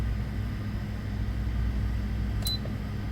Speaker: Essa placa, você ouvia o barulhinho do relé na placa se armando, mas ele não mandava energia para o compressor, não chegava corrente no compressor, tá?